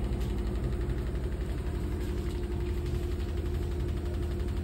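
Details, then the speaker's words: New Samsung fully automatic top-load washing machine in high-speed spin with clothes: steady low hum, soft even drone, light rhythmic vibration at contacts, no thumping or grinding; healthy spin. "So high స్పీడ్లో rotate అయితే అవుతుంది ఇప్పుడు ప్రజెంట్గా. మనకు అసలు బట్టలు ఉన్న విషయం కూడా తెలుస్తలేదు. So you can feel the vibration."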